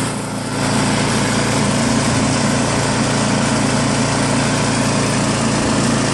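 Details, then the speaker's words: New Craftsman snowblower with Chinese PowerMore engine, after gummed carburetor cleaned and fuel line and tank blown out with fresh gas: one pull, catches within a second, then steady, even full-throttle buzz without misses; normal running. "Blew out the fuel line, blew out the fuel tank, replaced some gas, put the entire apparatus back on, and now it runs good."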